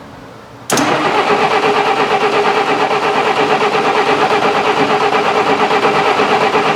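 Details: 1966 Canadian Valiant, low mileage, engine not started in 10 years, cranking with cold oil to build oil pressure: labored starter drone, lazy pulse near three per second, no catch; slow cranking from a weak battery.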